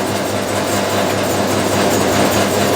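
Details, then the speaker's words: 1989 Maytag A512 Fabric-Matic washer during agitation: a steady hum with a fine buzzing rattle from the upper back panel, held on by only one screw, vibrating. It stops when the lid is held. Finding: loose panel vibration. "there's also the back panel in the back the telling being held on by one screw so during the wash cycle it tends to vibrate however i found that if i hold the lid it stops"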